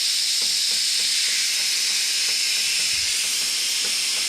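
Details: Budget air ride suspension on a 1964 Ford Falcon, with the bags venting to drop the car 2¼ in to 9¼ in. A strong, steady high hiss of escaping air holds with no change in pitch.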